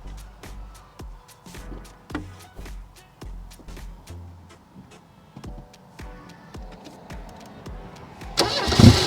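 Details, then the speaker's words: Mercedes 190E V12 swap, crank test with starting fluid, no fuel reaching engine: long uneven cranking about three to four beats a second, catching only briefly at end; crank no start from fuel starvation. "Well, all we need is gas. I'm convinced."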